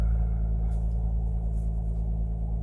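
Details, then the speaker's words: Abarth started right after hosing out the engine bay with the engine cold: deep, even idle with a smooth, steady rumble, no ticks, misses, rattles or warning beep; normal idle. "Starting the car right up after spraying out the engine. Good sound. Not the beep. The car sounds good."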